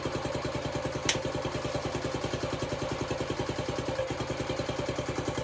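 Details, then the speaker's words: Honda CT90 (Trail 90) with a stock engine, after a full restoration and new wiring harness, started on barely any fuel after it seemed flooded: even, quick putter at idle, no misses or knocking; runs clean and healthy. "Idle's nice. Oh yeah. She's ready."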